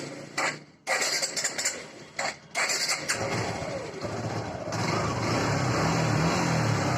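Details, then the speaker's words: Suzuki Gixer motorcycle engine after repair: a few stumbling start attempts, then a steady, even idle with no tapping or rattle; the earlier loud engine noise is gone after reassembly and timing tensioner refit, normal idle. "तो अभी हमारा sound proper है और इसका जो बहुत ज्यादा आवाज कर रहा था वह आवाज भी नहीं करेंगे"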